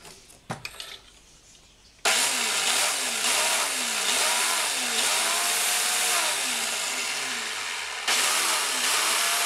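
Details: Black & Decker brushed-motor grass trimmer after repair of broken bearing that had locked the motor, spinning up sharply to a loud even high whir without grinding or catching; runs healthy.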